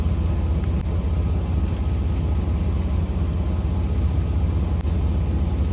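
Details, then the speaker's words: 1985 Mercedes W126 SEC, restoration Part 1, left unworked about 2 years: starter turns the engine over with a low, steady churn but it never catches, even with relay ports 7 and 8 bypassed; owner guesses fuel pump, possibly fuel pressure, unconfirmed. "All right, so I guess it's the fuel pump problem."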